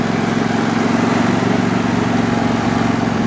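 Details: John Deere mower after replacing slipping, cracked drive belt; small engine runs with steady even beat, no knocks or slipping squeal before shutting off; normal running.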